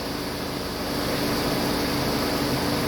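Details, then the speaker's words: Mercedes-Benz E230 after A/C repair including replacement of the faulty A/C control unit, engine running with A/C on. The front condenser fan gives a steady, even whoosh and constant low hum with no rattles: normal operation. "แต่ครับระบบทำงานนะครับอ่ามีพัดลมด้านหน้าทำงานปกตินะ"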